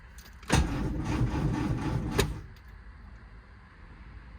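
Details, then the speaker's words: Lotus Elan after clutch job, first crank with the refitted starter motor: short burst of rough, gravelly cranking under two seconds, then it quits; graunchy grinding engagement, owner suspects the starter motor, not confirmed. "Right, that's not good. That feels like the starter motor. Haven't heard that noise before. What could it be?"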